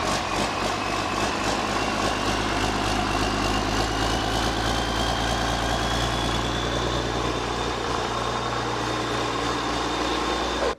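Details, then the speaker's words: Rebuilt 8.3 Cummins diesel (had thrown a rod) from a Ford F800 for a Case IH 2366 combine, first start on engine stands: steady, even idle with consistent low thrum, no knocks or misses; firing on all cylinders. "starts firing on all cylinders that sounds pretty good it's firing on all cylinders yep"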